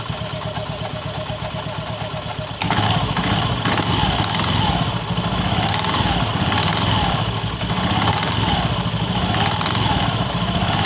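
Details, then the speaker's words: Honda Beat FI scooter idling with a loose, uneven metallic "kletek" rattle about four per second from the CVT at the rear pulley; clutch-area rattle, cause suspected, not confirmed. "Ya teman-teman sudah mendengarkan kan suara keletek-kleteknya kemeleteknya pada bagian CVT motor ini di bagian fokus ke belakang ya"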